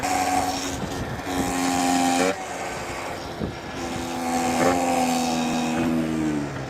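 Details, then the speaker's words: Yamaha Zuma 70cc two-stroke scooter, revs lowered with 6.5 g rollers: buzz with wavering tone climbing and dropping with revs, stopping when clutch disengages; clutch-related, gearbox oil leak suspected. "What the hell is that? It's got to be something clutch related cuz it stops when the clutches disengages."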